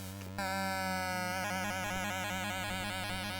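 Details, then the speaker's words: Australian Commodore 64 running a game: the music is a harsh, buzzy cacophony with warped, unstable tones instead of clean notes, from a faulty SID sound chip. "Yeah, that's a poorly SID chip. That is a poorly SID chip."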